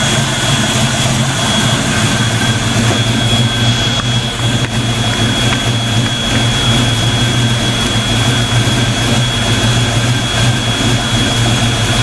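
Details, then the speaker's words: Black Stang (Mustang) first fire with 24 lb injectors and 73 mm mass air meter, rockers shimmed; loud steady idle with thin high whine, no stumbles or ticking, before warm-up: normal idle. "so that sounds damn good i'm getting excited i think i did something right"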